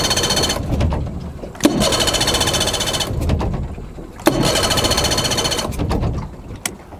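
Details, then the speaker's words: Four-stroke outboard run with carburettor screws removed, leaving open ports that let extra air past the carburettor: cranks in rough, hissy bursts and dies each time, running lean from a vacuum leak. "so hopefully that gives you an idea about how sort of catastrophic a vacuum leak can be"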